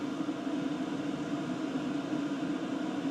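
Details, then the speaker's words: 2024 WIPPRO 8 kW diesel heater 51 minutes in at full blast, all six stages lit, drawing about 34–44 W. Steady fan whoosh with no clicking or ticking, just air coming out; running normally. "just sounds like air coming out"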